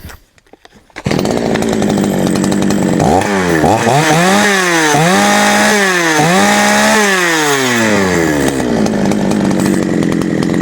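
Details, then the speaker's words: GOODLUCK 45M Chinese chainsaw, final test after a small repair with chain oil feed confirmed: starts and idles, then revs up and down cleanly several times with pitch following the throttle; healthy running. "Сейчас оно все прочистится и будет у нас все работать. Итак, напоследок заводим, проверяем."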